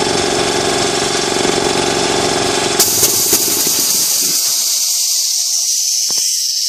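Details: New Ingersoll Rand TS4N5 80-gallon compressor, 5 hp 230 V motor, 15.8 CFM at 90 PSI, 175 max PSI, cuts in near 140 and off at 170 PSI: steady, even pumping hum with a constant tone, then a hissy rush of air; normal, healthy running.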